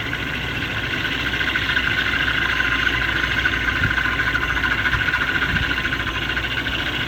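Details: M73 V12 at steady idle with a faint high whirring hum that comes and goes every few minutes like a pump starting and stopping; the source remains unknown.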